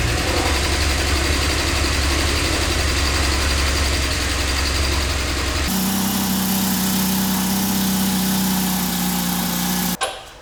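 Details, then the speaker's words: 2006 Subaru Outback, EZ30 3.0 six-cylinder, automatic, code P0304 cylinder 4 misfire: uneven, lumpy idle with stumbling beat and light top-end ticking after swapping the cylinder 4 coil pack; cause was valve spring retaining clips that came off. "Alright. Not much improvement. Because that's not running any smoother, I'm going to replace the front and the rear passenger side coil packs."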